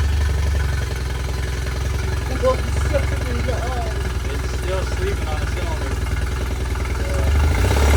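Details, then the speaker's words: Yamaha T50TLRD 50HP outboard after head decking and new head gasket: low uneven stumbling idle, one cylinder dropping out; misfire, possibly a dirty injector not getting enough fuel. "she's still sleeping on the cylinder but it could be could also have a dirty injector not getting enough fuel"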